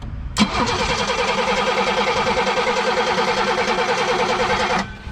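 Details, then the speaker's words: 1987 BMW 528e (E28) after sitting about two years: steady starter cranking about three turns a second for four seconds, never fires; crank no start, power to the coil but no spark, fuel pump runs on applied 12 volts. "yeah yeah you've got that's weird so we've got power to the coil but no spark the fuel pump does run if you apply 12 volts to it"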